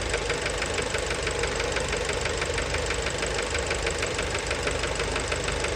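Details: Fiat Bravo 2, 1.4 T-Jet 150 HP, 215,000 km, recently serviced, recorded close to the engine at idle: sharp, even knocking about three times a second from the bottom end. Worn rod bearings knocking; cause unknown, car scrapped.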